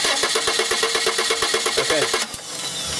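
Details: 1995 Subaru Legacy 2.2 with waste-spark ignition (two coils): the starter cranks evenly and the engine never catches. No spark because test-light checks show no coil negative control from the failed igniter; fix is replacing the igniter.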